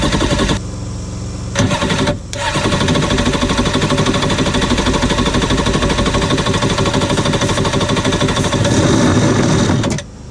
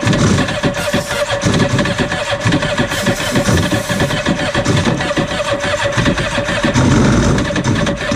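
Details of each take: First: Cheap used Yamaha WaveRunner two-stroke on new mixed gas, after the fuel valve was switched from off to on: brief crank, then a crisp, busy idle holds fairly steady before cutting off; engine runs normally. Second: Cheap used Yamaha WaveRunner two-stroke on new mixed gas, old fuel previously in tank: cranks, catches and runs ragged, surging and stumbling; starving for fuel with the fuel valve set to off, then switched on.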